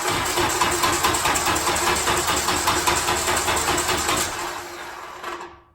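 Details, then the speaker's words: Turbo Honda K20 engine swapped into an MR2-chassis VW Bug, fired up with no exhaust fitted, without two sensors and with no coolant, to be run only six to ten seconds. Very loud, raw, rapid, slightly uneven firing pulses. "probably rather saw like six to ten seconds left this thing run and then I'm going to kill it but we'll see what it sounds like it's very loud headphone users"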